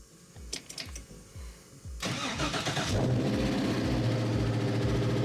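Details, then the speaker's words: Rambler wagon, 500 hp, restarted after sitting six months, fuel pump wired direct to battery: cranks about two seconds then catches cleanly into a steady idle; 50 psi oil pressure, initial lifter tick went away. "all right it seems to be running pretty good let it run a little bit"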